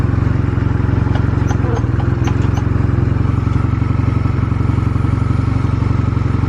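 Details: Stored Honda Rebel 250 Special (MC13-1103) start-up check: even, regular low thump at idle, steady and clean with no knocking or ticking; normal idle, no abnormal engine noise.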